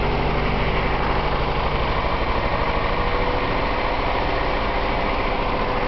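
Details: BMW 318is M42 misfire after Seafoam: idle stumbles with uneven, choppy beat and irregular exhaust dips; owner suspects it is running lean.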